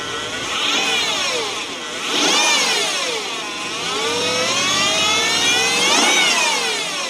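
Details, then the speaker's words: Mercedes E500 5.0 L V8 with 250,000 miles, running rough: a loud whirring tone rises and falls with each rev blip over an uneven engine note. Noisy belt idler roller, heard at startup. "It makes no noise, not even any suspicious mechanical sounds except when I start it up. This superb roller here which makes a hell of a noise and the fact that it runs really rough."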